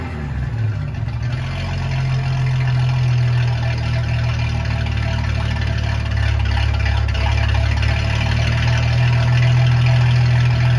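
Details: Ford 300 inline-six with newly finished turbo header, first fire-up after fuel lines were off, exhaust cutouts open: a deep, loud rumble swells steadily as it revs, firing evenly with no misses or knocks. Normal exhaust note.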